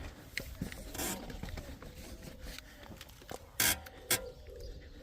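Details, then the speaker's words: BMW X4 rear suspension rocked by hand while parked: dry rasping creaks and a couple of sharp knocks; squeak thought to come from behind the disc and caliper, fixed with Würth penetrating lubricant. "I'm going to be fixing this uh BMW X4. It's got really creaky suspension."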